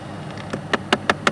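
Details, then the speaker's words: 2011 Chrysler 200, customer complaint of clicking inside, engine running: sharp plastic clicks about five to six a second from the outer right-hand HVAC blend door actuator, felt vibrating by hand, broken and to be replaced. "oh there you go and I can actually feel that one up here on the right hand side and that one was actually making the noise could feel it feel it vibrating"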